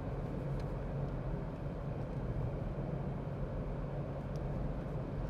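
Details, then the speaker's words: Maruti Alto K10 cabin at about 50 km/h on tarmac, setting one, about 61–62 dB: steady even low tyre and road rumble, no knocks or whines; normal for a lightly insulated small car, louder than the Range Rover. "तो आप देख रहे हैं की कैसे sound जो है वो ज्यादा हो गई है अल्टो में"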